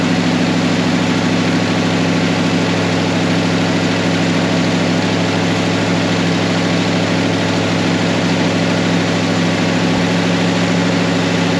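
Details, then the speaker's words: 1972 Chevrolet Nova project car, first start after assembly from leftover parts, timing later pulled back: steady, even idle with a smooth low burble, no knocks or misses; engine running cleanly. "As you can tell, she's running. She sounds like the meanest golf cart on the 9th green."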